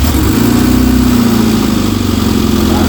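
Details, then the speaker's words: Rover Mini on a freezing day, first run since September after new plugs and a new air filter, idling cold with a loose, uneven puffing chuff over the engine beat; exhaust leak at the down pipe. "we know it's got an exhaust leak by the way everybody we've got it's a down part"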